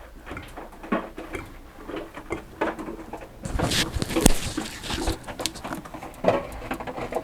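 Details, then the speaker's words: Hotpoint NSWM 1043C W UK N 10 kg inverter-motor washing machine, a few years old, about 27 minutes into a wash: irregular light ticks and creaks over the churning and water swish, seemingly from the top on one side. "oh I can hear the ticking you can hear it creaking and Ticking"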